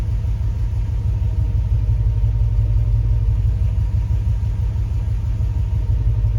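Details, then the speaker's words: Jeep Grand Wagoneer with Hemi swap at idle: deep steady rumble with uneven, lumpy beat about three per second; both O2 banks reading rich at 0.9, injector pulse lost on cylinders 1 and 6, EGR reading zero; random misfire, running rich. "both of them are reading real Rich 0.9 shouldn't get any higher than 0.8"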